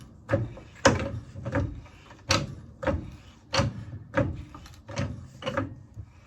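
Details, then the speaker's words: 9-year-old Harbor Freight 3-ton low-profile floor jack after fluid top-off, lifting a bus: irregular firm clunks as the handle is pumped; each stroke lifts solidly through the full range, previously only worked in the lower range. "pump is pretty solid. The bus is getting off the ground."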